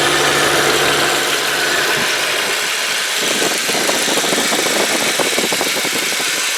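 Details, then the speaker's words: 2003 VW Passat five-speed manual with the 1.8 turbo four-cylinder, idling on a warm day. Even, steady idle with a smooth rhythm and no knocks or ticks over background hiss; the engine sounds healthy. "there it is 1.8 turbo motor four-cylinder all right and I'm just gonna be quiet let you have a listen now"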